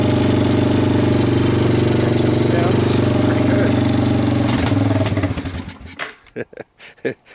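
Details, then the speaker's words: Water-damaged, well-worn vintage Honda Fourtrax 300 4x4 ATV, cold start after draining foul gas from the carburetor, on a backup portable CDI box: even single-cylinder putter at a steady idle for about five seconds, then it cuts out; idles normally. "not only runs but idle not a lot of"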